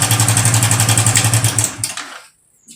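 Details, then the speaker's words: Hero Passion Xpro i3s motorcycle idling: fast light ticking, then the engine dies away; timing chain rattle. "इस तरह का sound है और इसका साउंड जो है हमारा टाइमिंग चैन से है दोस्तों यहां पर दिखा दे आपको टाइमिंग चैन में हमारा इशू है"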